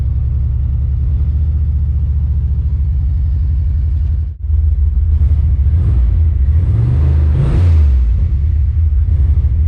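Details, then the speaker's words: Car on its first test drive: a deep rumble pulling with an uneven, stumbling beat and dropped pulses. It is skipping, a returning misfire the owner thinks is probably a spark plug wire. "well i think our wire problem is back so the car is skipping [Music] gotta figure out what the misfire situation is it's probably that plug wire and uh i'll report back"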